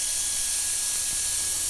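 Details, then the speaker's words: First-gen Toyota Tundra, engine off, shop-vac blowing into the exhaust: steady airy hiss from the muffler-to-pipe joint, a V-clamp fitted with no gasket and mismatched flanges leaving gaps. "moving from the back forward first leak that I found was right here at this connection point"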